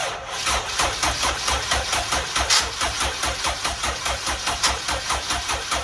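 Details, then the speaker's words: First start of a newly built turbo Honda EG engine: catches straight away and holds a firm, even pulsing idle with no misses or knocks, no leaks, some smoke thought normal; normal first start. "oh oh that sounded good I think are we good over here no leaks oh oh my God that sounded good"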